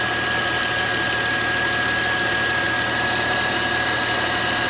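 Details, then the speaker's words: Volvo V70 six-cylinder after overheating from a coolant leak, with steam from the exhaust pipes: steady, even, smooth idle hum with no knocks or misses while coolant is just above minimum and the engine warms up; normal idle. "this is a six cylinder engine so it's normally quite smooth you can hear something humming away there"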